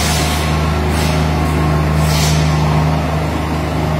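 Loader runs with a steady low drone and no throbbing or pulsing vibration; the track resonance seems gone.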